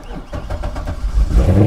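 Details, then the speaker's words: Salvage-auction car listed as a no-key non-runner, key found inside: a quick crank, then the engine catches straight away and settles into a steady, even run with no knocks or stumbles. Normal start and idle. "runs yes she runs and it's listed as a non runner how about that"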